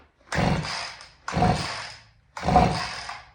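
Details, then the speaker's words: Vintage Husqvarna 50 chainsaw, sat about 15 years, 80 psi compression, cold start attempt: three short sputtering bursts that catch and die at once; owner suspects weak or stuck rings can't pull fuel. "Sounds like it's trying, but I think the rings are just so weak. It can't pull full fuel up."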